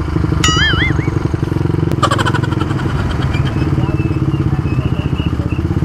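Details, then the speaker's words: Honda CBR150R whose muffler silencer insert fell out during a ride the night before: deep, loud, raw popping exhaust at steady idle with a hard edge to every pulse. "Pasensya na mga idol mukhang magiging pasaway tayo sa daan ngayon maingay yung tambutso guys"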